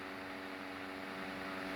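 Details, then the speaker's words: Antique Marelli "Bisa" 12-inch table fan run on high through a frequency/voltage converter set to 120 volts: steady, even hum with clean constant tone and smooth airflow; running healthily. "anyway we'll start this up on high [Music] it's got a very cool startup sound"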